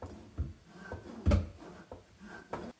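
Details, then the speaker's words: Pull-down kitchen faucet in a single sink, with garbage disposal and RO tank under it. Dull irregular clunks as the hose moves and its counterweight hits the drain pipe, causing the hose to stick and not retract; the fix is zip ties. "sometimes you going have trouble pulling this sometimes it will get stuck and not retract at all you hear a lot of the clunking from the"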